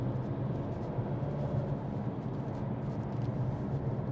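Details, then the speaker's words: Non-running crash-repaired car coasting at 50 with clutch in: steady whiny drone with road roar; suspected wheel bearing, side unknown, or possibly an out-of-shape tyre causing imbalance; cause unconfirmed. "this car's got wheel bearing gone by the sound of it very very whiny"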